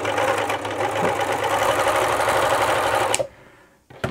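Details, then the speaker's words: Elna T34D serger/overlocker in for service, before servicing, threaded with new needles for a test run; slow, uneven clatter of about three stitches a second, running fairly slow with tight handwheels; slow, rough running. "This machine here is in for service and it's running pretty rough. I've threaded the machine up. I've replaced the needles just to do a test run prior to the service. I'll turn it on here. It's also running fairly slow, and I can feel the hand wheels pretty tight there."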